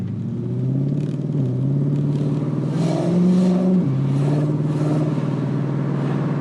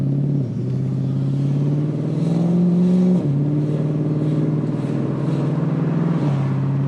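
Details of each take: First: Nissan Q45 V8 at about 60% throttle after hardwiring Audi R8 coil packs and a 3-inch intake reducer: rough ripping flutter on the exhaust note from thin-walled headers without heat shield, not spark breakup; exhaust header flutter. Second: Infiniti Q45 V8 with hardwired Audi R8 coil packs and 3-inch intake reducer, on 94 non-ethanol, test drive: smooth pull, clean rising tone, gear shift drops pitch, no misfire or stumble; drivability issues apparently fixed.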